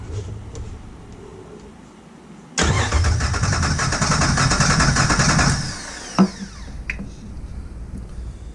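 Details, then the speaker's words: Copart salvage Jeep TJ engine with a no-start condition, cranked by a remote starter button for a repeat compression test of cylinder 3 (about 149); even cranking at roughly three and a half beats a second with no lag, healthy compression. "so we read 149 on the third cylinder so let me write that down all right before i run that again i'm gonna zero this and uh then i'm just gonna i'm gonna run a second test to make sure i've got a good reading on that"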